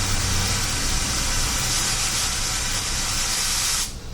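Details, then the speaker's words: WMF pressure cooker heating: steady loud hiss of steam venting over low bubbling of boiling water, cutting off sharply near the end; normal venting. "steam come you can also hear the water boiling doctor"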